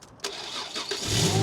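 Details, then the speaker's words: Abandoned, non-running Ford Mondeo ST220 3.0, started on a jump pack after sitting: brief crank, then it catches and settles into a steady idle without stumbling; clean normal start. "let's just try it well it stayed running"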